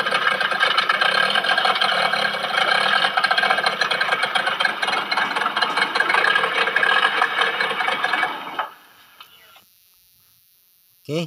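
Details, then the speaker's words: Yamaha 15 hp outboard, tested after repair for the owner's rough-noise complaint and after fixing a stiff gear-shift adjustment. It holds a steady, even buzz at constant speed with no ticking before shutting off, which is normal running. "Oke sekarang kita akan tes mesinnya lalu kita dengar sama-sama Apakah bunyi kasar Mantap sudah mantap"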